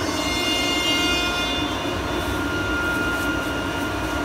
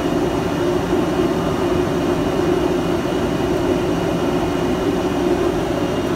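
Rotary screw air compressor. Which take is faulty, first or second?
first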